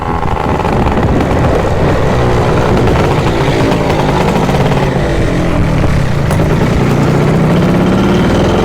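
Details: Yamaha Jog CE50 70cc two-stroke after replacing a faulty fuse behind the starter motor relay: loud, raspy buzz climbs and falls with throttle and keeps pulling; rideable now, though some dead spots remain.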